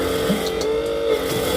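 Steady mid-pitched electric motor hum, even and without surging: a small transfer pump drawing oil out normally.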